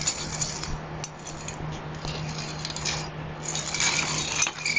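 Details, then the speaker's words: 1990 Dyno Comp bike left sitting for years, cranks spun by hand with microphone held close: uneven gritty crunching and clicking each turn; very crunchy, dry worn bottom bracket bearings needing replacement. "same thing with the uh the cranks here the cranks I think you can hear let's get my microphone very very"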